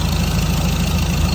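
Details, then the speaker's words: Ford Ranger/BT50 turbo diesel, code P0299, idling: fast, even puffing tick at the exhaust manifold-to-turbo joint, missing a bolt with a non-standard gasket, possibly warped flange; exhaust leak, not intake or intercooler hoses. "Yeah, you can actually hear it's an exhaust leak, so we already have half an idea that it was exhaust, not intake or intercooler hosing."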